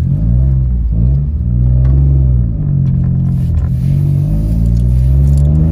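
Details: Citroen C1/107/Aygo after the baffle was taken out while the exhaust was warm: the scrap exhaust piece used in the repair snapped, giving a very loud, deep, raw unmuffled blare rising and falling with revs, effectively straight-piped.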